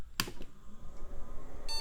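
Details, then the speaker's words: Early-2000s salvaged e-waste PC, after cleaning SIMM RAM contacts and applying DeoxIT to slots; single POST beep, then faint room noise and no video; suspected graphics card fault, later cured by DeoxIT on the PCI slot. "okay got a single beep but no activity on the screen that could be bad news for that graphics card"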